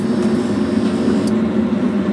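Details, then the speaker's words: DIY workshop waste oil burner heater (old steel water tank body, central heating boiler fan, 12V diaphragm pump, timer relay) starting to roar as oil pumping begins; deep, even roar with constant low hum, no pulsing or sputter; normal burner roar. "don't if you can hear the unit starting to roar but I should be just enough to start pumping oil in here"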